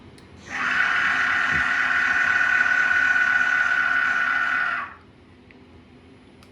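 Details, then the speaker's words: CNC milling machine Y axis jogged by MPG after loosening over-tightened gibs while dialing in backlash compensation. Steady even servo whine with no clunks; the direction-change click is about half as loud as before. "now we'll send it home but yeah so now the only thing you can hear you heard that initial click which I don't understand anything about decibels but it's at least half as quiet as it used to be when you would change directions"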